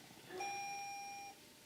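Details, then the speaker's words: Car running with mass airflow sensor unplugged to deliberately set codes; a single soft dashboard ding about a second long, fading into a quiet cabin; warning chime, scan then showing intake air temperature sensor 1 bank 1 circuit codes. "unplugged our mass airflow sensor. I hear the car dinging away in there."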